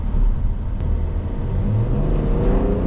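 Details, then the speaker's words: BMW X5 35d biturbo diesel after rebuild, manifolds cleaned inside for better combustion, accelerating hard: deep rumble climbing smoothly in pitch, no misses, whistles or rattles, far stronger than before. Normal acceleration. "Oh la vache, putain! On le sent bien le biturbo, hein. Punaise! Un truc de malade."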